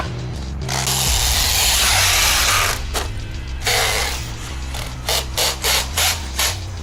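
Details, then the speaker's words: Traxxas X-Maxx RC truck, basher-spec, ramp jumping at 25% power: harsh grinding bursts and ratcheting chatter about three times a second under throttle. "Pretty sure that drive shaft is done. Or differential gears, whichever it is."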